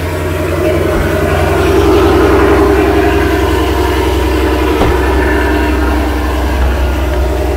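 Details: Dodge Charger/Challenger/Chrysler 300C after installing high-flow fuel pump, first start with pump access open: engine catches and settles into steady even idle, smooth low rumble, no misses or knocks; normal idle.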